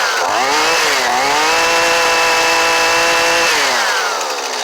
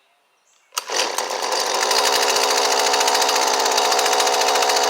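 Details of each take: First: Old Husqvarna 128LD trimmer with a new Hipa carburetor, choke off: it rises smoothly to a steady high scream, holds without stumbling, then falls back cleanly; it runs properly. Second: Husqvarna 128LD trimmer with a newly fitted Hipa replacement carburetor, just started: a small two-stroke snaps to life and holds a buzzy, slightly uneven high rev; the high-speed mixture screw needs a small adjustment.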